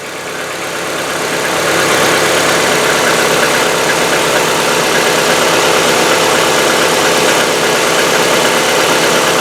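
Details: Hyundai Getz, fully cold start after a day parked, fresh oil without additive: quick light hydraulic lifter ticking over the settling idle, slightly shorter than on old oil but still present; the oil change helped only a little.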